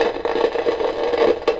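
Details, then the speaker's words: Kaiser W1835 tabletop tube radiogram heard through a signal tracer moved back stage by stage. Irregular crackling and spitting over a steady hum persists at each point. Crackle fault; a 5 nF capacitor is suspected, not confirmed. "The noise is still there. I'll go another step further back. And it's still there. The noise is still there."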